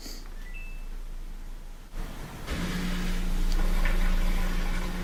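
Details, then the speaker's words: Samsung washing machine that wouldn't drain, after replacing the drain pump: a click, then a steady clean single-pitch hum as water pumps out fast; old pump found full of sand, healthy drain operation. "it sounds good and dua pure in there I consider water leaving the machine pretty fast so there we go that was it"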